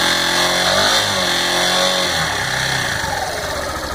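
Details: Yamaha Fazer 150 motorcycle revving: a rough, fairly regular knock of about four per second over the exhaust; dealer work on the cylinder head didn't fix it, and the mechanic suspects the bottom end; source unknown.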